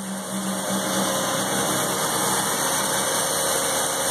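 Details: 1984 Mazda RX-7 12A rotary, revived after sitting 13 years, cold start at 47 degrees on the block and 27 outside: a steady, buzzy idle with no misfires or stumbles, warming up fine.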